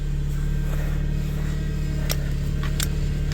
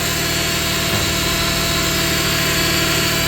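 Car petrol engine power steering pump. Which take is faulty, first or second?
first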